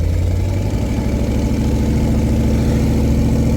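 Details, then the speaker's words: LT1 V8-swapped Jeep YJ with true dual exhaust and small side mufflers, idling after no-spark repair, jumper-wired to the battery; deep, even, healthy V8 burble, but the alternator still isn't charging (11.7 V) and the cause is unclear, possibly wiring. "Run. Sounds good. Not straight pipe, but you know, true duals with just little mufflers out the side."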